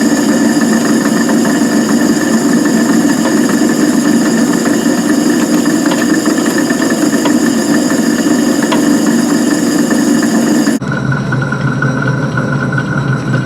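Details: Van Wert coal stoker under a Gentleman Janitor JG5 boiler after six days burning pea anthracite: steady loud mechanical drone with uneven knocking about twice a second; stoker gearbox noisy.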